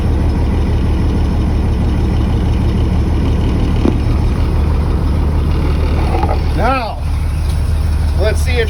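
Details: 2003 Blue Bird 3800 bus with DT466E diesel, cold start at 11°F, not plugged in, after ether and about 10 minutes on jumper cables: steady, even low idle rumble while air chirps and hisses building pressure; normal cold idle.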